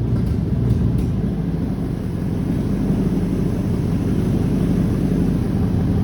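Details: V8-swapped Mazda MX-5 build with Haltech ECU, first start on the key: deep, steady V8 rumble holding an even idle with no misses or knocks; running normally.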